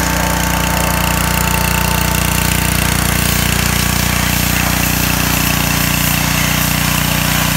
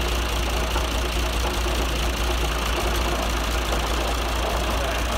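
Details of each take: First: John Deere 2040 tractor diesel after water pump rebuild for a bad bearing, new hoses and fresh antifreeze: loud even diesel clatter at steady idle, no bearing growl or whine from the water pump; temperatures cool, runs great. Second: John Deere 2040 tractor diesel idling with a light, uneven metallic rattle at the front; worn water pump bearing, shaft wiggles, before pump rebuild.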